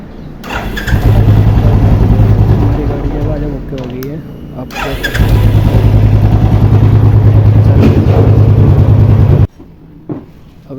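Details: Royal Enfield after the broken self-starter bearing was replaced: fires promptly and settles into an even, steady low thump with no grinding or rattle from the starter; normal electric start and idle.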